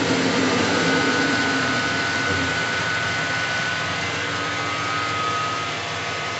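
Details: 24-volt alternator from a Mercedes-Benz MB1620 truck, spun on the bench with warning lamp lit, otherwise shown with a bad bearing: steady smooth whir with a constant faint high tone and no growl or rumble; alternator running quietly and evenly.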